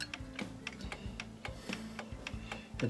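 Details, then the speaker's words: Vintage Korean 31-day striking wall clock with elaborate pendulum, before servicing: even tick-tock at a steady beat about four ticks a second, faint background noise; movement sounds in beat and running normally. "You can hear it seems to be ticking all right, so this probably won't be too complicated to fix it up, I wouldn't think."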